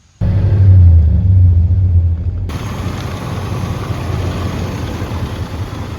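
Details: 1990 Buick LeSabre Estate Wagon V8 after repairs incl. new fan clutch and coolant refill with heater bleed valve; deep, even rumble settling into calm steady idle, no knocks, squeals or stumbles. Normal idle.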